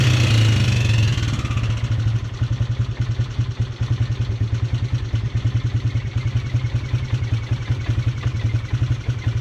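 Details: Polaris Sportsman 300 single cylinder after timing chain and valve adjustment: brief rev, then idle with fast light tapping keeping pace with the engine; top-end ticking, owner suspects valve tap, unconfirmed.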